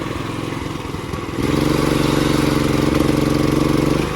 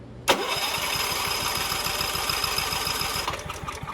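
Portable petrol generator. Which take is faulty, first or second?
second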